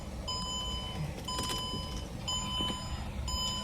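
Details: 2003 Mercedes E320 with a recurring battery drain, being jump-started, corrosion seen at the battery: four clear high beeps about one second apart at key-on, over faint background noise; a malfunction chime.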